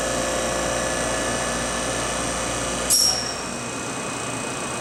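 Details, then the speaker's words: MBraun Labmaster 130 glovebox, antechamber evacuated via the key-press control, gauge dropping: even high whir with a brief change near three seconds, no rattle or grinding; floor-mounted vacuum pump running normally. "And then when you wanted to evacuate it, you just push the other one. And you can hear it kick on. And you can watch the gauge go down."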